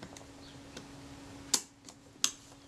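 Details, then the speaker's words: Kodak Retina IIIC camera during shutter release adjustment: two separate sharp clicks about 0.7 s apart instead of one. The shutter fires before the film advance releases; the adjustment is backed off a quarter turn. "okay so that time it released the shutter prior to the film advanced film advance being released so i'm going to take that back a quarter of a turn try again"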